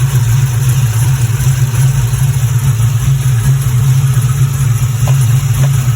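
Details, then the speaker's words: Pontiac GTO after a fuel pump fix, with fuel pressure now 50 psi, idling about 10 minutes; it previously died after 5–10 minutes. Steady, deep rumble with an even beat and no misses or stumbles, a healthy idle. "okay got the gto idling in the background and i'm just going to come back in here so i don't like a silhouette but it's been running for about 10 minutes so far"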